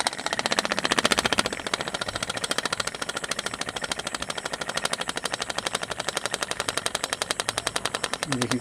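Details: Ceiling fan coasting down after switch-off with rapid, sharp knocking several times a second. Suspected causes are the shaft working out of the bearing or a worn bearing. The fan runs quietly while powered.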